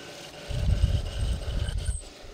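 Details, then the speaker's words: Same Fireplug end mill recessing the face of the movable soft jaw: rough, uneven low rumble pulsing through the cut; grumbly chatter of unknown cause, machinist suspects spindle belt may need tightening. "then i use that same fire plug end mill to just kind of uh go over it to recess the face a little bit so i can leave a built-in parallel still kind of sounds grumbly and cocky i'm not really sure why it might have something i might have to tighten my spindle belt up or something"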